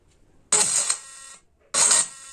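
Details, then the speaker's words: Bluetooth speaker (model CA-611) with cracking, intermittent sound: two short bursts come out raspy and crackling with harsh buzz; driver tested good on another source, fault is the amplifier board (kit) distorting. "जो की ये sound इस जो की खराब होने के कागर पे ए गई है क्योंकि इससे आवाज जो निकाल रही है वो सही तरीके से आवाज प्रॉपर नहीं निकाल रही है"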